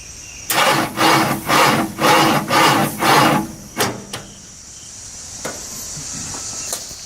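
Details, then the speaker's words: 1972 Ford Bronco, battery at 12.4 V (about 60% charged): labored slow cranking, about two strokes a second, six or so turns then quits without starting as voltage drops significantly; weak starter dragging the engine. "be sure to take a listen to the engine and you'll hear that it's turning over rather slowly"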